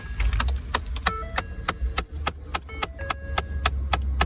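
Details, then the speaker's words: 2011 Ford F-150 Lariat, blend door actuator exposed behind the radio: sharp, unevenly spaced plastic clicks three or four per second over a low hum. This is confirmed as the failing actuator causing the dash clicking. "So that is, as you can see, the air door actuator. Now, here's the big question. Is this the air door actuator that is actually broken and making the clicky click?"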